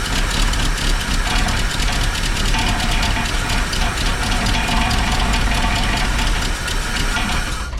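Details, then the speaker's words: 1949 Buick Roadmaster hearse straight eight, sat over 6 years, running on a shot-glass of gas poured into the carburetor: runs rough for seconds then stalls as prime burns off; fuel pump not drawing fuel from the new tank. "I got bad news for you, Wendell. Yeah. Your fuel pump is not drawing fuel out of that new tank."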